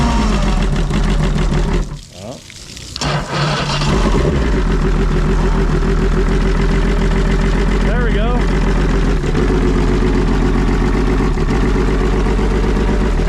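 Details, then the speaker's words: Trade-in outboard motor that sat a long time, on water supply, after reconnecting the missing oil-injection line: it catches after a short stumble, then holds a strong, even beat and revs cleanly. Runs well and needed nothing else. "go pretty impressed it runs actually really good after sitting for so long and I mean this thing has some power"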